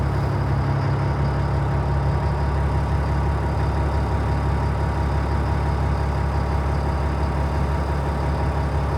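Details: 2003 Stewart & Stevenson M1078 military truck diesel cold start on a cool morning, transmission in neutral: steady, deep idle with an even low drone and no knocks or misses; a healthy cold-start idle.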